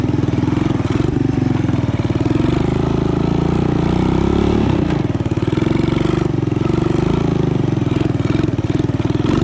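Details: Honda ATC 200ES single-cylinder, long unused and previously dead, just fitted with a Chinese carburetor: fast, fairly steady idle with a brief flare, set too high; idle to be dialed back, air-fuel mixture may need adjusting.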